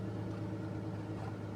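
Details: Car engine just after a cold start, stationary: smooth, even idle held high at about 1000 RPM, steady low hum, no knocks or misses; normal cold fast idle before driving.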